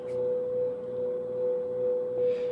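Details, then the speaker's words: Victron MultiPlus-II 48V 5kVA 120V inverters carrying just under 5 kW (water heater plus house): steady, clean mid-pitched hum with a faint airy fan rush. The inverters seem louder with the fan running lightly than at full fan. Normal hum under load. "it's actually funny so these inverters actually seem to get louder when the fan is running lightly when the fan opens up it gets quieter"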